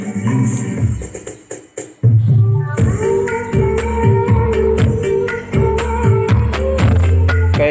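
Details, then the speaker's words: Polytron PAS 8B28 speaker, two months old, after full teardown: music plays clean and full with solid bass and no buzz or rattle; the earlier buzzing was traced to a loose plastic front panel piece, now tightened. "ya suaranya sudah mantap dan tidak ada geber lagi"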